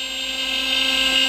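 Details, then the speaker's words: CNC router on the finishing cut of a pine workpiece. High steady spindle whine holding an even pitch, no chatter or grinding; runs clean and healthy. "give you a bit of a closer look what we're doing here this is the finishing coat"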